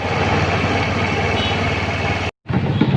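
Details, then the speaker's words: Honda Beat scooter idling smoothly with no odd noise after the loose injection/throttle body adjustment was fixed and serviced; earlier there was an odd noise from the injection area and poor pull. "Hai dari tes tabrak suara aneh ilang ya"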